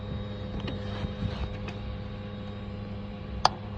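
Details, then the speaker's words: 2011–2022 Dodge Challenger/Charger with the ignition off and the car not running, heard at the fuel pump: a faint steady fuel pump hum continues, then a click. A bad fuel pump relay is stuck closed, causing battery drain and a no-crank condition. "we're gonna go to the fuel pump you see switches off car's not running as you can hear the fuel pump working"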